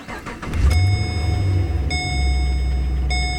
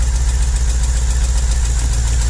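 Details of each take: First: 2009 Holden VE Commodore 6.0L V8 after replacing a broken pushrod plus spark plugs and leads: quick crank, clean catch, then steady even idle with no stumble under a dash chime; smooth, no miss, no engine light. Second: 2009 Holden Commodore VE 6.0L Gen4 V8 with a rough idle miss. It sounds normal at first start, then misses as rpm drops. A broken pushrod leaves a valve stuck closed, so one cylinder is dead and the deep V8 idle has an uneven, stumbling pulse.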